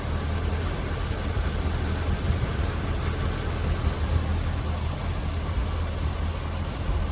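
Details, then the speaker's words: Smooth, even 350ci V8 idle in a 1974 Chevy Nova, stock ignition, parked since 1996 and sitting over 25 years, now revived and running warm on the thermostat; deep steady burble, no knocks or misses, surprisingly smooth; normal idle. "wow it's running Mar it's run see I see I hear that is so cool it's it's it's it's feeling smooth yeah I'm surprised to how smooth it is"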